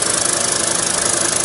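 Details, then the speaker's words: Terry Surma vacuum former with the part sucked down and the die held up: an even hissing rush with a quick, steady pump pulse and a smooth fan underneath cooling the part. The vacuum pump and fan are running normally. "the fan has run its course to cool the part off. So let's give it a little while here, and what will happen then is the fan will shut off, the die will drop"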